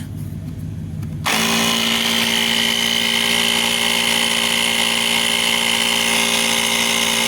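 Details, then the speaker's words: EverStart 1000 amp jump pack's built-in portable air compressor screwed onto a low, bulging tire valve stem. It clicks on into a loud, steady buzzing drone with a fast even pulse and a thin whine. A little noisy but running normally. "He's a little noisy, but I should get that bulge out fairly [Applause] quick."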